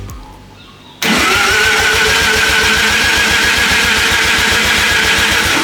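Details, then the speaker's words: Mazda 13B turbo rotary in a kit-car drift build, first start attempt, turbo oil return not yet plumbed into the sump, timing not set with a light: quick, even cranking with steady compression pulses. Sounds healthy. "that sounds healthy I'm not even going to get the time light out I'm just going to wing it and hope that for the best"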